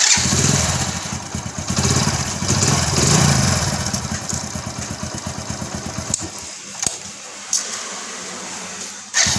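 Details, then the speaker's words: HF Deluxe motorcycle after the self-starter noise fix (grease applied at the starter motor magnet): starter cranks briefly and the engine catches into a steady idle with no grinding or screech; starting noise gone. "दिखाते हैं बिल्कुल normal आवाज़ हो गया start करने वक्त भी अब आवाज़ नहीं करती है"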